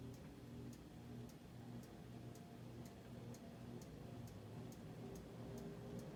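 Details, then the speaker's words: 1920s GE Type AH Form V2 52-inch ceiling fan, restored in the 1990s, unoiled, on speed 3 of an industrial wall control: light tick about twice a second over steady hum; rotor rubbing stator at one spot. "And there you can hear that noise I was telling you about, that noise."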